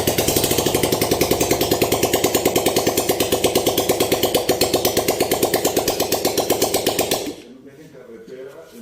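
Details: Ford F150 GPS motorcycle after teardown, cleaning out broken fragments, reassembly and fresh oil (earlier noise suspected broken pushrod or rocker): fast, even popping beat from unmuffled single, steady, no knocks or rattles, then cut off; normal healthy idle.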